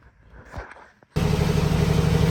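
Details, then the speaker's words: Willys Jeep CJ5 with swapped Chevy 4.3L V6, swap finished with O2 sensor, muffler and custom tailpipe, recorded on an iPhone: quiet start, then a low even rumble with a steady pulse and no knocks or leaks. Normal smooth idle. "well that's it it's hard to tell through the uh iPhone I'm sure but it's not bad I like it can't wait to drive it"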